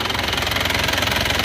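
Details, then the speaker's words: Isuzu Panther diesel after repair for severe blow-by and oil leaks (had run out of coolant near the water pump), rebuilt with cast liners and old pistons, revved: even, smooth clatter, no knocks or misses; no oil smoke; normal idle. "Lur, untuk suara mesinnya seperti ini menggunakan liner cor dan sefer lama itu kita gas-gas ya. Lihat dengar suaranya. Halus ya"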